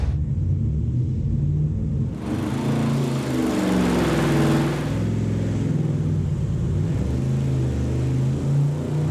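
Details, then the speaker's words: Junkyard Gen 3 Hemi V8 (salvaged from a car fire, has displacement on demand) on the dyno, up to temperature, full-load pull: deep, even roar climbing smoothly, no misses or knocks; made 361 hp and 409 lb-ft; normal engine under load. "It did. It kind of flailed around a little bit, but uh made 361 horse and 409 pound feet."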